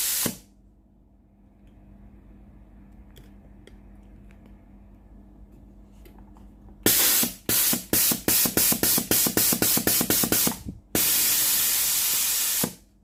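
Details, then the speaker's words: Philips GC9622 steam iron, solenoid water valve tested via a connected pipe: quiet hum, then a rapid run of sharp steam spurts and a long strong hiss; steam exceeds the pipe length, valve normal. "If the machine is normal, the steam will exceed the length of the machine's steam pipe. If the test is like this, the water valve is normal."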